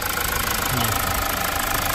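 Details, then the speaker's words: Mazda CX-5 2.2 SH diesel after a dual turbo replacement that fixed jerking and black smoke: even steady diesel idle, no hunting, jerking or hard starting; healthy. "So tahimik na siya mga katropa, wala na yung jerking, wala na yung black smoke, hindi na siya hard starting."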